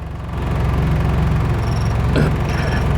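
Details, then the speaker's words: Carbureted engine holds a low, steady idle in gear with the A/C compressor loading it, no sag or stall; stalling with A/C on was addressed by adjusting the A/C clutch idle-up delay unit, idle now holding fine. "ก็เข้าเกียร์เสร็จปุ๊บแล้วก็มาเปิดแอร์ก็ไม่นะครับว่ามันจะดับไหมอ่าไม่มีดับนะครับ"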